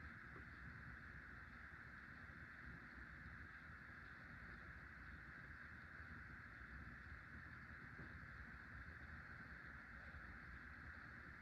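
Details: Hunter Low Profile V ceiling fan made by CEI in 2003, after replacing worn motor bearings: soft, steady airy hush with no ticking, rumble or grinding; much quieter now, slight wobble, spins slower than identical fans.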